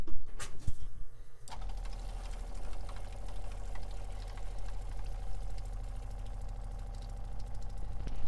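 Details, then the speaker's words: Whale onboard water pump in a 2011 Bailey Unicorn caravan, refitted after dismantling and cleaning the diaphragm, gives a short rattle then a steady even low hum; considerably quieter than before. "that is considerably quieter than what it was before so quite happy with that"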